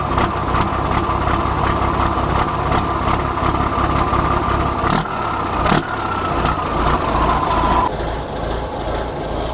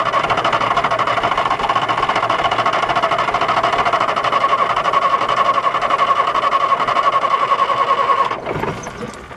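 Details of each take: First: 1973 Volvo G89 truck, TD120 320 hp diesel, long abandoned, after bleeding air from the fuel system: deep, chugging, smoky idle with fairly steady beat and injector clatter; a slight misfire earlier was put down to air in the lines. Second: 1973 Volvo G89 truck, TD120 diesel, 320 hp, 24-volt start, after four years sitting, fuel system bled; runs roughly with uneven beat then dies near eight seconds; air in the fuel or low idle suspected, needs further bleeding.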